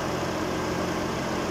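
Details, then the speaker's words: Nissan Sunny engine at idle after replacing the worn-out, cracked drive belt; steady, even low hum with no squeal or chirp, the earlier belt noise is gone — normal idle. "okay na yung bago na kinabit natin ah nawala na yung ingay ng ano kanyang makina no sa kanyang drive belt"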